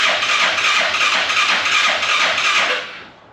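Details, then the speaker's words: Arctic Cat Prowler UTV carbureted engine after rebuild with new pots, oil checked, first start attempt: fast, even cranking whir with no firing, then winds down; cranks but won't start, no fuel reaching carb. "Squirt a little down the carb and see what that does."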